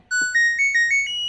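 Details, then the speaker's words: LG Smart Inverter washing machine control board, bench-powered on 220 V, which reportedly shuts off mid-cycle: click, then a clear rising six-note chime at power-on. Indicators and buttons work normally; normal start-up melody. "Terlihat untuk modul mesin cuci ini tidak ada masalah ya teman-teman. Untuk indikator nyala, tombol-tombol pun berfungsi dengan normal."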